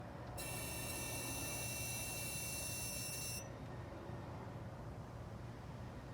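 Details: 2016 Dodge Challenger parked in garage after a drive, engine off, with key fob failing to lock or start it intermittently: thin steady high-pitched whine for about three seconds then cuts off; source unknown.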